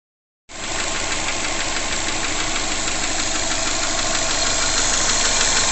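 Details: 2005 Subaru Legacy GT with forged Mahle 4032 pistons, warm at operating temperature, ambient around 65F: idle with steady hiss and faint light tapping about three times a second, owner attributes to forged piston slap, not confirmed.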